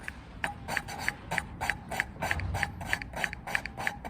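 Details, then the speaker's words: Hand lapping a valve into a cylinder head with grinding paste and a suction stick, light pressure, to remove seat pits; steady back-and-forth gritty rasps about three a second with scratchy ticks, paste cutting the seat normally. "And again, sucker on the stick. There you go, you can hear the grinding paste working away."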